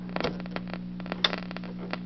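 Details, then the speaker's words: Antique wooden tabletop tube radio, probably from the 1930s or 40s, four buttons, torn speaker fabric: steady low hum with scattered crackles and static pops, no station received, band unknown; cause of the mains hum not yet investigated. "To let you hear the hum, there is some tearing in the fabric of the speaker. This is glass. So here's a hum, and it not even sure which band I'm on."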